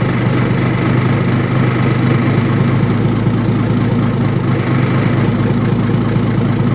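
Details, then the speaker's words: Old Detroit Diesel in a vintage GMC truck, with the exhaust disconnected at the manifold: a heavy, labouring drone with an uneven, stumbling beat, smoking; the cause was the blower emergency air shutoff valve stuck closed, starving it of air. "Well, it clearly ain't right. I mean, it's running like absolute garbage. And smoking the whole time."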